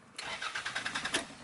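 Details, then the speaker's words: Car starter motor whirs in a quick, even rhythm for about a second, revving slightly but never catching or firing; cranks but won't start, starter motor suspected, not confirmed. "we can see that something little bit revs but no any starting and what that means if I have that kind of situation this means that starter is"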